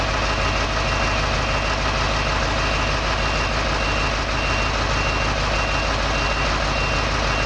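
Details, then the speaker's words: Heavy equipment diesel idling during a daily air brake check: a repeating low-pressure warning beep sounds while air tanks build pressure and should cut off at 60 psi; low air pressure warning signal test. "You hear that beeping noise? That's the low pressure signal. It should cut off at 60 psi."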